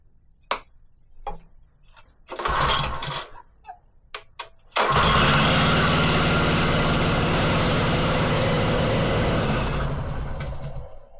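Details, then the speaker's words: Wacker Neuson VP1030 plate compactor, now running without choke after adjustment: a few pulls and bursts, then a steady run. The clutch takes up at very low revs; owner suspects weak or worn clutch springs and may fit new springs. "I think the cut springs are a bit weak because that's the lowest I can get it to take over without the cutting gauges"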